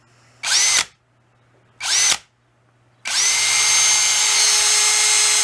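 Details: Masterforce 20V 2-speed 1/2 in. cordless drill/driver, new, high speed: two quick trigger blips, then steady high motor whine at even speed, no grinding or stutter; healthy motor.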